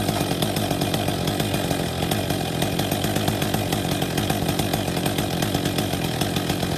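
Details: Husqvarna 262 XP chainsaw after new clutch drive sprocket and bearing fitted and greased (earlier failed decompression valve); crisp steady high-rev buzz, even firing, no misses or bogging; runs normally.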